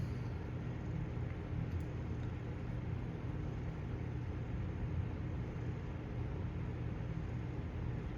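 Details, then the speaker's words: 1997 Windmere Turbo Fan WTF-7 on low: steady even whir with no rubbing or scraping; runs smoothly, low speed quieter than the DuraCraft turbo fan. "I think this has a better low speed than the DuraCraft turbo fan it's a little quieter"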